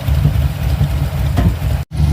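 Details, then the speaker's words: Carbureted engine just fitted with Edelbrock 1405 carb replacing a QFT, manual choke, idling after restart: lumpy idle with odd faint exhaust pops, mild backfire of unknown cause; later tuning gave smooth 1,000 rpm idle, 14 degrees timing. "Still backfiring to the exhaust a little bit. I'm not sure why. It's weird."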